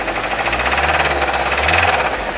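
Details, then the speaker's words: 2022 Nissan Kicks petrol engine with 15,000 km, idling: heavy, fast metallic rod knock; the oil filter was dented and leaking; teardown found a damaged crankshaft and cylinder 1 rod, and overheating is suspected. "É isso aí mais um motor da Nissan do Nissan kicks para fazer motor tá batendo biela batendo bastante carro é 2022 e tem 15 mil km rodados"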